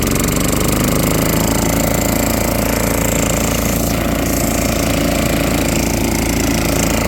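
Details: Junkyard generator, next day on fresh gas after a temperamental start, now running normally: a small single-cylinder pops along at a steady, fairly even beat of about four a second.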